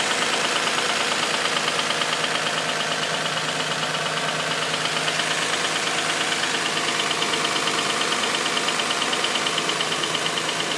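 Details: Infiniti G35 petrol V6 idling after sitting a week: steady light knocking, about three beats a second, after loud knocking at startup subsided; not belts; owner worries about oil consumption issue though OC tests passed.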